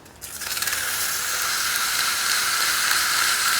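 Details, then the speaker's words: 1957 Westinghouse MobileAire stand fan on low, before cleaning, previously serviced: smooth, even airy whoosh with no hum, rattle or ticking; quiet, healthy motor. "So, yeah, somebody did a really nice job of servicing this before. That is a quiet motor."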